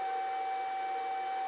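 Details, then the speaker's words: Grizzly G0800 wood lathe just unplugged, still emitting a steady, even high-pitched whine that keeps droning for a minute before stopping; the owner says it shouldn't make noise and doesn't know why, cause unknown. "all right just unplugged it and it still takes a minute for it to turn off there goes I'm still making noise"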